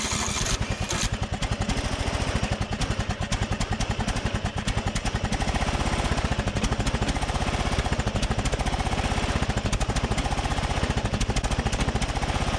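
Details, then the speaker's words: 2004 Craftsman DYT4000 riding mower (Briggs & Stratton), abandoned in a field, running after an ether start: single cylinder fires in a quick, even, unbroken beat with no misses or rattles. Surprisingly healthy and quiet, normal running. "yeah that's awesome i really wasn't expecting i was not expecting it to sound that healthy"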